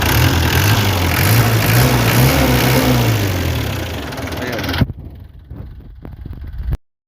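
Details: Isuzu 4BA1 diesel after work on hard morning starting and misfiring from air entering the feed pump line: steady, even diesel clatter at idle with smooth low rumble, no misses, before shutoff; engine healthy.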